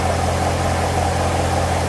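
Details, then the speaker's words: Corvette C7 V8 at full operating temperature after water pump replacement, coolant reservoir level good, no leaks: steady, even idle with smooth low hum, no ticking, knocking or whine; normal idle. "No leaks, which is always a positive thing after you mess with the water pump. Everything sounds good."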